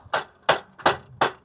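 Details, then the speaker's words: 2021 Tesla Model 3 aero wheel cover on a snow tire, mounted with a 3D-printed center attachment: sharp plastic clacks as the cover shifts on loose retaining clips whose springs have given up. "we can see these clips over here that are all pretty loose and still pretty noisy"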